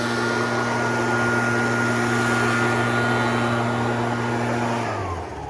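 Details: Red Max EBZ7100 two-stroke backpack blower at full throttle, rescued from the dump with its missing fuel lines replaced and carburetor repaired. A strong, steady high drone held evenly, then winding down smoothly at the end; running cleanly.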